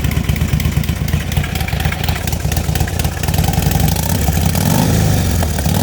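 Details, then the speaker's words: DIY turbocharged, tuned Harley-Davidson Street Glide at about 9 psi boost, just restarted warm: lumpy V-twin idle with a slight, steady, clean rise in revs; running normally. "So yeah, it runs, tuned, it's doing real good."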